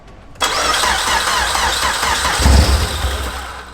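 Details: First start of a newly built high-compression Honda K-series engine in a Nissan S13: short crank, catches and settles into a lumpy, loud idle through the open header; clean, healthy first start.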